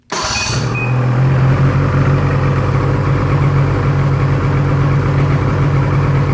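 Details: 600 SDI two-stroke held at 7000 rpm wide-open throttle, loud drone choppy and uneven from misfiring.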